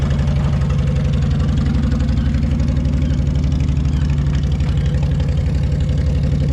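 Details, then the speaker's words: 2004 Honda VTX 1300 V-twin, previously hydrolocked and running rich: low, even thump at steady idle with no misses, knocks or rattles, not smoking or leaking fluid, with apparently no bent valves. "So anyway, fire it up. So, it's running. It's not smoking."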